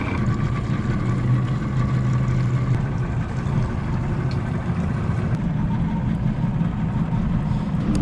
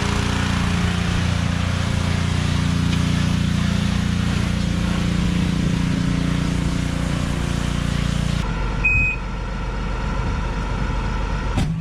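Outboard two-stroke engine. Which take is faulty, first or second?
second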